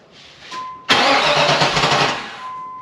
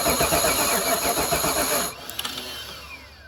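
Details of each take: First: 1994 Pontiac Trans Am GT, barn-stored since 2005, first start after 17 years: warning chime, then it fires quickly and settles into an even, healthy idle with no knocking; oil pressure gauge fluttered, sensor possibly gummed up. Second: 1994 Pontiac Trans Am GT, stored in a barn since 2005, fires roughly for about two seconds then dies; it catches on cranking but has no working fuel supply, fuel pump and system still to be fixed.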